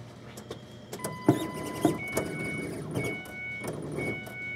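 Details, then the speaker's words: Ford Escape with a stalling problem and a replaced fuel pressure sensor, mic at the fuel pump inside the car at key-on: a couple of sharp clicks, then a thin high whine in short on-off runs. The pump is priming; a bad fuel control driver is suspected. "n you turn the ignition on in this thing, you can hear the pump kind of click on and it's like really tight."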